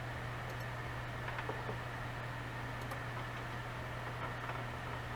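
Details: Seagate Barracuda ES 750GB 7200 RPM server hard drive running with cover removed and no air seal: steady low spindle hum under constant airy rush, very loud, vibrating the shelf; drive still reads and passes random access test.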